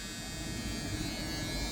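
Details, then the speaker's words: Dodge D100/D150 truck with 440 engine swap and wiring harness swap, PCM deleted: continuous raspy electric key-in-ignition reminder buzzer holds steady without dropouts, working normally. "So, you know, we got our key buzzer."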